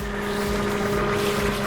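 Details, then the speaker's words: 1999 Ford F250 V8 Triton, 5-speed: deep loud steady idle drone with raw unmuffled edge; catalytic converter stolen leaving an open header. "It runs. It sounds good. It's really loud, the open header, because some crackhead wanted a catalytic converter."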